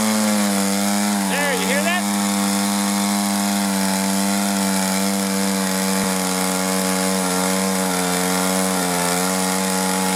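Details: 1983 Echo PB400E two-stroke blower, carburetor never adjusted, fuel filter likely original, warmed up then full throttle: high drone dips and wavers then picks back up; bogging and surging instead of holding steady revs.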